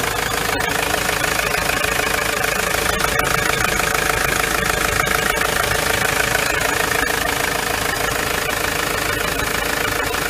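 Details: Ford Transit van engine idling steadily and evenly, with no belt squeal or chirp over the running note, after the serpentine belt was replaced. Normal idle.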